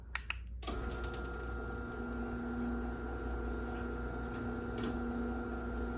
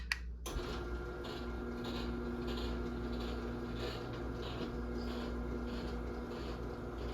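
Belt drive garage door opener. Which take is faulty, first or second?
second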